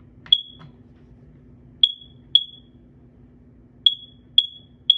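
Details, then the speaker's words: FireX COE carbon monoxide alarm running its test cycle after battery reinstalled correctly: high piercing chirps in groups, a pair then a triple with short pauses, four rounds, under low room hum; normal test pattern. "it has that really cool test equip yep it does four rounds is there a Dy sound nope just a chirp chirp yeah I guess so"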